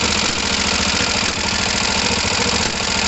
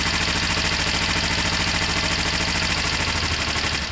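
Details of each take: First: Kawasaki ER5 twin with fuel pump problems and overflowing carbs, cold idle not yet warm: lumpy idle with uneven popping pulses through the intake, carburettor spitting back. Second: Kawasaki ER-5 twin, first start on choke after fuel overflow incident: catches and settles into a steady even idle, brief dip then recovers cleanly, no smoke; sounds healthy.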